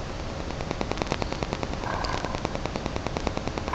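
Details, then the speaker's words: Rapid, rough clicking and rattling from the hand-spun old water pump removed from a 1999 Porsche 911 (996); its bearings are dead, a big difference from the new pump. "you can hear the dead bearings in the old pump here's the new pump big difference"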